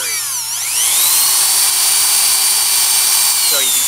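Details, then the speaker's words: Delco CS alternator bench-driven by 120V induction motor, charging a weak battery: with a 100 watt bulb load switched on, the whine dips and slowly climbs back; drive motor struggles to regain speed under alternator load. "the voltage draw quite a bit and now this thing's struggling to actually get back up to speed again"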